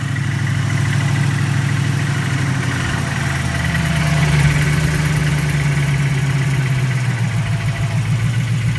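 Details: Freshly built engine at steady low idle with an uneven knocking, about three a second; cause suspected, not confirmed.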